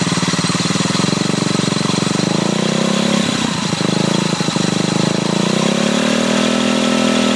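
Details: Ruckus scooter single-cylinder engine: steady putter with thin whine on top that shifts with revs; owner reports odd variator noise, cause unclear.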